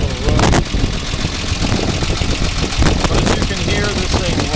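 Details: 1948 Ford F1 truck that starts right up and runs like a top: old engine ticking over at an even, loping idle with no knock or stumble; normal idle.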